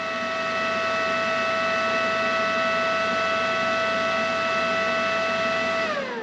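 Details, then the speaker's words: Arccaptain MIG 250 welder on 220 V, just switched on: the cooling fan kicks on after a moment with a steady whir and even whining tone, then shuts off once it senses the machine isn't hot; normal cooling fan run. "You hear the, nope, no fan, yep, there's the fan. Fan will kick on, it'll sense that the machine's not hot."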